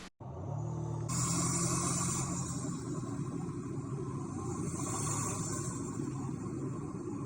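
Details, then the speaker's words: Inside the cab of a 2024 Toyota Tacoma Trailhunter: loud airy rushing hiss over a low engine drone, turbo and intake whoosh through the high-mount air intake (snorkel), possibly a blow-off valve (unconfirmed); a lot of noise transmits inside, considered normal. "but anyway there's quite a bit of noise that transmits inside the truck"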